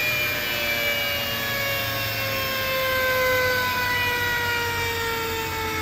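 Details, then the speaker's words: Alup SOLO 15 inverter-drive 15 kW screw compressor, permanent-magnet motor at 150 Hz, filling receivers from 0 bar: smooth motor whine with tones drifting slowly and evenly as tanks fill, no knocks or rattles; sounds healthy. "So let's start the compressor and see how it will fill their tanks. The compressor possesses PM motor with permanent magnets, and it works on 150 hertz."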